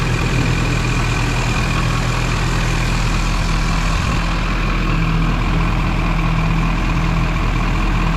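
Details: Duramax diesel (2001-2016 range) after installing Dynovox stainless up-pipes replacing the OEM pipes. Steady low rumble with an even, unbroken idle beat and no exhaust ticking or puffing. Normal idle.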